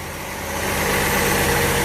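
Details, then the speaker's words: Ford Falcon (1962 titled, owner unsure, possibly 1963–64), believed 170 cubic inch inline six, first start after 17 years sitting in a field, mouse nest blown from exhaust; steady, even smooth idle, no ticking or misses: normal idle. "she was running quiet running good not too bad we had too bad for fooling around with it for only about an hour and a half or so she sounds really nice"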